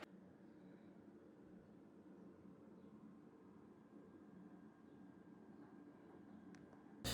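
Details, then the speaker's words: Prebuilt PC running the Unigine Heaven benchmark at about 77°C (GPU also seen at 83°C): fans make a steady airy vacuum-like rush, working hard to cool a system that still runs hot. "The PC, you can probably hear it, sounds like a tank. Not a tank. It sounds like a vacuum."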